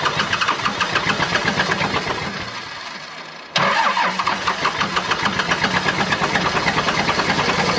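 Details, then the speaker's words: 12-valve Cummins diesel, five-speed truck, winter cold start: long uneven cranking before it catches and runs rough; owner suspects injection pump or injectors, slow to fire on all six. "i think there's probably something wrong with the injection pump or injectors because it takes a while for this thing to fire on all six"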